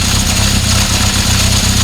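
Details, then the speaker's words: 1976 Honda CB750F1 at idle after carb balancing: steady four-cylinder idle with a busy, tinny rattle on each beat; worn cam chain, noise goes away around 2000 rpm. "You're never going to get rid of that noise, the chain's worn."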